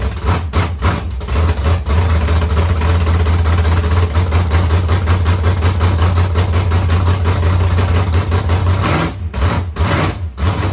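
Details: Carbureted LS7 V8 with Stage 3 cam and heads in 1971 Camaro, first fire with no coolant circulating: deep loping idle with choppy uneven beat and occasional dips from the cam; running healthy.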